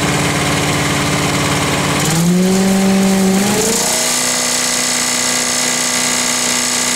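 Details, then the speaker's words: Lawn vac (TracVac) repowered with new larger engine replacing dead 6hp, restarted with a little choke: catches, pitch climbs quickly, then settles into smooth steady run with no misses; surprisingly quiet, running normally. "Surprisingly quiet. Yeah, for as big an engine, yeah. Well, that's idle too."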